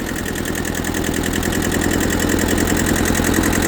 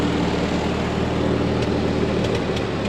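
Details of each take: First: Auction tractor (Ford 8N or Kubota B6000 4x4) that sat for years, just started: even, steady diesel clatter at idle, about two and a half beats a second with no misses; normal idle. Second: Ford 8N tractor revived after sitting for years: steady low idle with sharp pops at irregular moments, coming and going; cause not confirmed, owner suspects carburetor adjustment or spark plugs.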